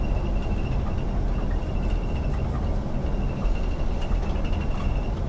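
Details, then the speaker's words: Interior rattle in an Iveco Crossway coach driving empty on Île de Ré: scattered sharp rattles over steady road rumble, source unknown, new on this trip; the driver wonders if it is the hatch (trappe), since his bag had been there until now. "bah je sais pas d'où ça vient mais que c'est chiant oui c'est chiant"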